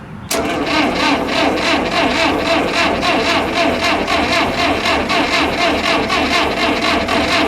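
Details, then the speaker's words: Old backhoe cranked while started from the side, after wiring the coil and opening the fuel valve. A steady cranking rhythm of about four beats a second with occasional weak catches, but it never fires and runs; cranks but does not start. "It sounds like it wants to."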